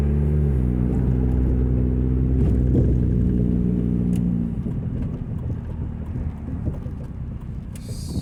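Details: 2000 Nissan Altima, an old car owned since 2010, while driving. A deep, throaty rumble with a pulse that follows the engine, far too loud for a small car, from an exhaust leak at the braided flex pipe, awaiting repair.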